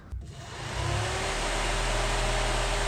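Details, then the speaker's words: Radiator fan on an MK1 Golf 1.8T 20v build running with its relay removed and bridged by a wire; click then smooth whoosh spinning up to a steady even pitch, normal fan operation. Fan polarity must be correct or it pushes air back into the radiator. "you can hear the fan working. Just make sure you get the negative and the positive going to the correct place, because if not, the fan will work still."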